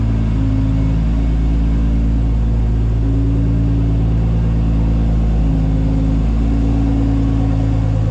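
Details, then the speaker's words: Top Secret Supra GT300, second run after engine rebuild, still to be run in over a few hundred km before dyno tuning: loud, deep, even exhaust rumble at steady revs with small pitch changes; no knocks or misfires, running smoothly. "we're gonna do a few hundred kilometers running in the engine but this thing is purring like a kitten"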